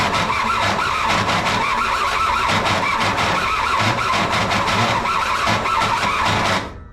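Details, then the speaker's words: Missing-parts $1000 kei truck being revived with a replacement starter: harsh, uneven whirring clatter while cranking, louder than normal, then cutting off. The starter struggles or binds but still spins the engine; starter and its wire are very hot. It briefly ran, then stopped. "Um, I'm not sure why the starter is making that noise again, but it's still spinning the engine over."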